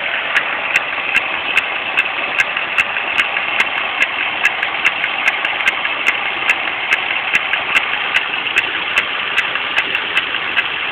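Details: 2001 Pontiac Grand Am GT idling petrol engine with a sharp, steady click about two to three times a second, constant whenever running; cause unknown.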